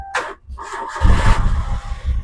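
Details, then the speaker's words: 2011 VXi car running on gas (CNG/LPG): short crank catches quickly into an even, steady low rumble with no misses or knocks; clean normal start. "দেখুন গ্যাসের গাড়ি আমি start দিচ্ছি আপনারা বুঝতেই পারবেন না কত স্টার্টে ছিল দেখুন"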